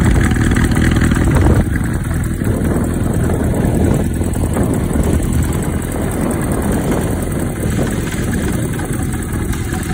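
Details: 1990 Kawasaki Zephyr 550 project bike at idle: light uneven top-end chatter riding over the steady exhaust beat. The cam chain tensioner is all the way forward, and the owner suspects a slack cam chain needing replacement. Valve clearance job is also possibly due.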